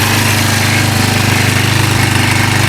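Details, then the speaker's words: 1999 Kawasaki Prairie 300 ATV, sat 10+ years with bad gas, idling fast with a steady single-cylinder putter and no misses after a cleaned carburetor; cold, smoking slightly, likely from fogging oil. "we are smoking a little bit but i did put some fogging oil in there since it's been sitting so long so hopefully that'll clear out it's also really cold so it could be it sounds good though"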